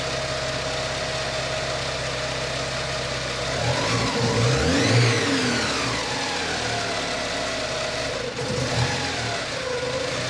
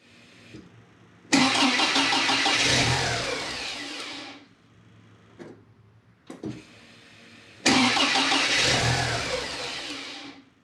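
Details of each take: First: Porsche 944 8-valve naturally aspirated engine with a Lindsey Racing MAF conversion kit replacing the OEM airflow meter, power wire jumpered to the blower relay. It starts promptly, revs and settles to a smooth, even idle with no issues. Later there is slight tip-in hesitation, possibly from running lean. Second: Porsche 944 8-valve NA just after installing a Lindsey Racing MAF conversion: two long steady cranking bursts without firing; cranks but won't start, suspected MAF power voltage drop while cranking from the 12 V diagnostic-terminal circuit.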